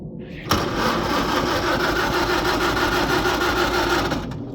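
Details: Farmall H tractor cranking after being flooded by choking; out of gear, gas on, carb drained of gas but still won't fire. Steady starter churn about three turns a second for four seconds without a single pop: cranks, no start.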